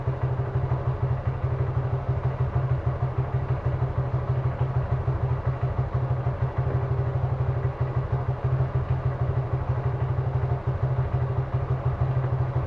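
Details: Suzuki Gixxer carbureted motorcycle: steady single-cylinder idle at about three beats a second with slight unevenness, checked for a carburettor or intake vacuum leak linked to mileage drop.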